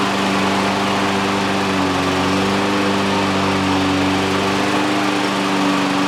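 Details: Exmark EC21KA Commercial 21-inch mower with a Kawasaki FJ180 engine, after repairs including a new primer bulb, reassembled: steady, even drone at constant speed with no misses, knocks or surging; running smoothly.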